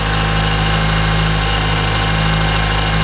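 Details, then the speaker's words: 2012 Toyota Camry 2AR-FE after the upper timing chain guide was replaced to fix a grinding noise: steady, even idle with a smooth low hum and no knocking or grinding. Healthy idle. "That's much better. I like how that sounds"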